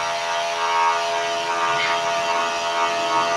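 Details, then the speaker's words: DC high-pressure booster pump (Hiu dual) run at a raised 15 volts without load: steady, loud buzzing hum with a fixed pitch, no knocking or rattle, about 96–97 dB; noise rises sharply with voltage but the pump runs evenly. "oke sekarang ini pompa hiu kita coba di 15 volt Seperti apa Hi dual nah kencang banget ya"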